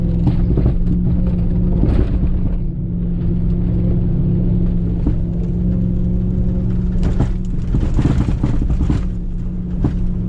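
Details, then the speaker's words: 2021 or early-2022 (pre-February 2022 build) Ram TRX driving straight on washboard: deep road rumble with irregular hollow thumps; knock from one type of the cab body mounts. "There's actually two separate noises that happen. They both sound the same, but they're caused by different things. The first noise is when you're going on a straightaway on washboard, and that's caused by one type of the mounts."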